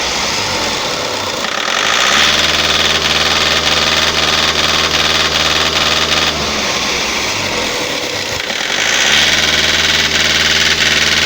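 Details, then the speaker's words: Toyota 2KD D-4D diesel, over 700,000 km, on an OBD injector cut-out test; idle roughens and changes beat as each cylinder is cut in turn, so every injector works; the engine itself is worn and needs a rebuild. "በቃ ኖዝሎቹ ይሰራሉ። ሞተር ነው የሚፈልገው።"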